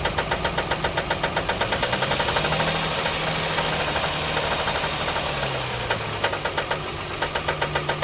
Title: rod knocking?